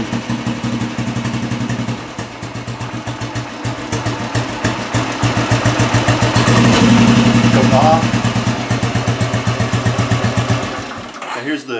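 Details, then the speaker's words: 2004 Royal Enfield Military single with short exhaust, just started on choke via decompressor: steady, even thump at idle, about 220 beats a minute, crisp bark; healthy idle, short exhaust sounds great. "That sounds great. Yeah, that short exhaust is really nice. The long exhaust sounds kind of crummy."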